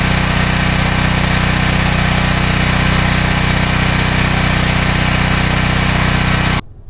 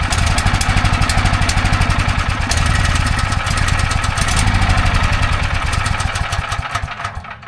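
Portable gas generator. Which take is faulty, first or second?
second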